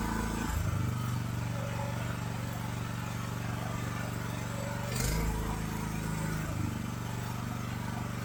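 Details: AGT LH12R mini excavator with RATO engine, throttle at idle while the governor adjustment is turned counterclockwise: steady drone dipping briefly then recovering; factory idle too high, causing jerky tracking.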